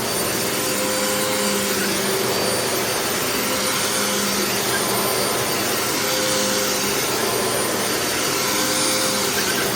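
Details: Previously rebuilt vacuum that sat outside about a month and was rained on. Owner feared the bearings would lock up, but it runs normally with a steady high whir and no bearing growl. The brush roll may rattle slightly.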